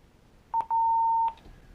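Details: Radio emergency alert activated from the lapel mic's emergency button: two quick high-pitched beeps, then one steady tone of about half a second, in a quiet room. The front strobe flashes until the emergency button is pushed and held.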